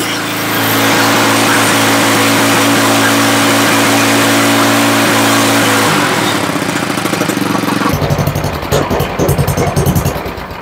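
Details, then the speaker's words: Toro 828LE snow blower's Tecumseh engine, previously not running, after an aftermarket carburetor replacement. Primed, choke on, first start, cold and before tuning: it catches and runs steady and even for several seconds, then settles and slows. Running on choke. "going to push our primer see if we have fuel shooting in the intake we do put the choke on and start it"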